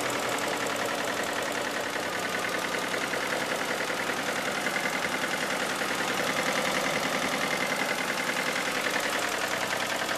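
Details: 2000 Isuzu Trooper 3.5 L V6 petrol, about 140,000 miles, oil half quart overfilled: loud fast fairly regular knocking at idle, starting together with an oil leak at the upper front of the engine; no oil pressure or check engine lights, cause unknown.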